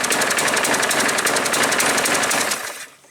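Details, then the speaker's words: Craftsman 6 3/4 platinum 21-inch push mower with bagger, automatic choke and no primer bulb; reported pouring black smoke, oil full, fresh gas. It chugs loud and uneven, then sags and dies; the automatic choke seems stuck on, flooding the engine and making it run rich. "Sounds to me like the automatic choke is sticking on and it's flooding the engine out."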